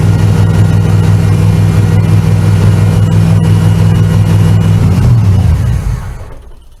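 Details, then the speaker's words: Chevrolet Camaro Z28 V8 with computer-controlled Quadrajet carburetor after rebuild to fix stalling, float reset; fast steady idle far above normal, then winds down and stalls; high idle still way too high. "still the same issue obviously unless it's gonna need the sun to work itself out the high idle is way too high clearly"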